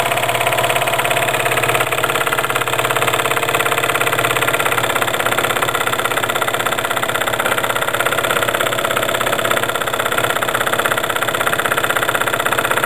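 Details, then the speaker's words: Jensen 20 steam engine belt-driving a PM Research generator via Wilesco pulley from the flywheel, load rising as resistance nears zero (8.5 V, 34 mA): steady chuffing about three beats a second, heavy and dragged down; engine slowing under load. "we're approaching 8 1/2 volts 34 milliamps the reats almost zero now you can really hear the getting loaded"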